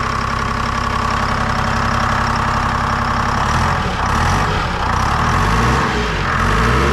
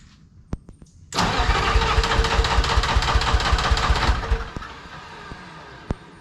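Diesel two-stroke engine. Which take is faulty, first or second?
second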